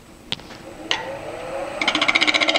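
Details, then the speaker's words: Wood lathe at about 1000 rpm, spindle gouge scraping to true up a dried, oval, very out-of-balance rough-turned elm bowl: fast regular ticking, about six or seven hits a second, as the tool touches only the high spots. "and you can hear how out of balance that is"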